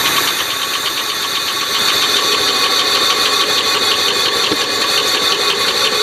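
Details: Oldsmobile Silhouette van, jump-started, idling: fast light ticking over a rough, uneven, stumbling idle; a loose bolt on the rocker arm caused the noise and misfire.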